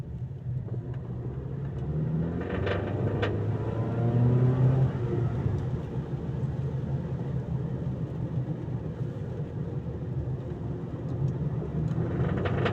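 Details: Mazda CX-7 engine under rumble and revving, part 1: light knocks come and go unevenly, roughly three per second. Engine knock.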